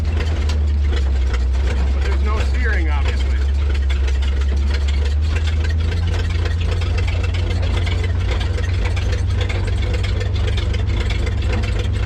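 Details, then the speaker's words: 1934 Chevrolet farm truck, abandoned in a field for decades, first run in many years: the old six settles into a steady, low, even idle with a slight wobble. Normal idle. "she's running's going we got her Mojo she got a little bow by to her heck it's even idling you do good work with that tow truck even if it is a Ford"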